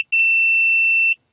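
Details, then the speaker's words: 2000 Nissan Xterra 3.3L V6, crank-no-start ignition circuit diagnosis, ignition off: multimeter on ohms gives one steady high-pitched continuity beep of about a second, ground reaches the power transistor, so the transistor ground circuit is good. "and should check the ground for the transistor. See, we have a ground here."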